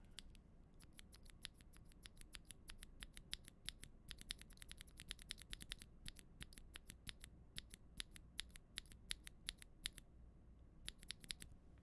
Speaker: Okay, so that was the Auralite linear switch, and this is a unlubed NK cream switch.